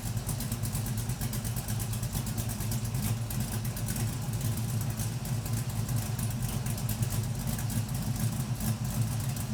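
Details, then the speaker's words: LS-swapped Camaro V8, first start after installing a new oil pump, fixing the oil pickup tube, a new fuel tank and a finished exhaust: quiet settled burble, even low rumble, no knocks or ticks, exhaust quieter; oil pressure still somewhat low. "It is definitely quieter, but I think I'm gonna leave it. Doesn't sound that bad."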